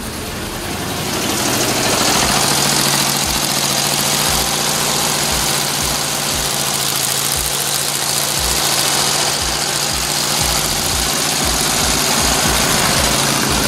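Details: 1963 Volkswagen dune buggy, air-cooled flat-four, sat 12 years, after new fuel lines and carb clean: steady, even idle with light regular patter, no knocks or misses; running healthy.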